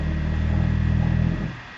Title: Vaillant ecotec plus 438 droning vibrating noises